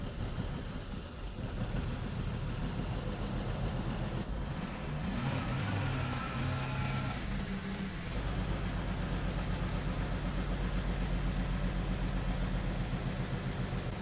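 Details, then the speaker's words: 2010 BMW 535i E61 wagon, auction car, idling after clearing codes for misfires on cylinders one and five and low fuel level: low idle stumbling and surging unevenly; still misfiring. "let's just fix it by clearing the codes here and see if it's see if it runs better oh it's still very unhappy"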